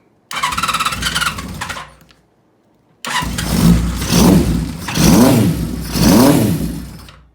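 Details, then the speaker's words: Honda CB550 just fitted with a Dyna-S ignition and M.Unit, running on a temporary fuel bag with pod filters: it fires, dies, then restarts and takes even throttle blips with a clean four-cylinder note. It runs fine but still needs some tuning. "Sounds pretty good. Alright, make sure my carbs are turned off. It's gonna take a little bit of tuning, but I think we're there."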